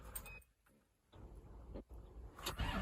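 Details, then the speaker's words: Farm excavator diesel cranking after priming and bleeding air from the fuel system. Slow, weak cranking in short bursts with gaps and no clean catch; hard starting. "Doesn't sound any better. Go, go, puff, puff, puff, puff. All right, I was just cranking on it and it was going."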